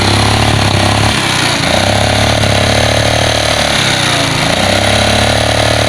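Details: Yamaha Mio carburetor scooter that smokes white, pulls heavily and often ran low on oil: a harsh, heavy clattering run with a coarse rattle over the engine note. The camshaft and rocker arms were found worn, and a piston problem is suspected.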